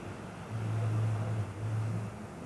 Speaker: 예, 화면 뜨고 부팅 될 동안 전혀 비품이 안 나네요. 그러니까 부품에 전혀 이상이 없을 때는 비품 없이 이제 바로 부팅이 되네요.